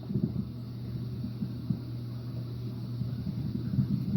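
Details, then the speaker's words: Hampton Bay Palm Beach ceiling fan running on medium, heard close up: a steady low motor hum holds one pitch under the soft rumble of the blades. "I don't know if you guys can hear that, but it's humming, but I'm about to send it to high, I think."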